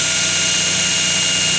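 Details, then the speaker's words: Mocked-up 2x72 belt grinder with brass guide and pivoting table, just switched on: steady high-pitched whir with no knocks, slaps or flutter; tracking and running smoothly, normal. "so I'll turn it on for you guys fire it up so it's running nice"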